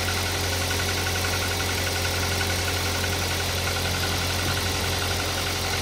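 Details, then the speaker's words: Toyota Avanza at idle, odometer about 100,000 km disregarded as condition is worse: dull uneven tapping about three a second over the engine; timing chain quiet, knock suspected piston, not confirmed; head gasket seeping oil, engine to be rebuilt. "Jadi suara tok itu e kemungkinan sih piston ya."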